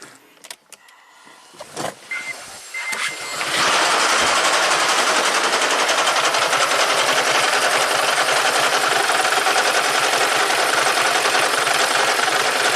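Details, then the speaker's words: 2010 Toyota Prius with a P0304 misfire after a DIY head gasket job, bad coil already replaced: cranks, then runs loud and uneven at three or four beats a second; coil snaps but not against the plug, so the cylinder 3 spark plug is bad. "Okay, I can hear it snap. I can't hear it snap against the spark plug, so it must be a bad plug."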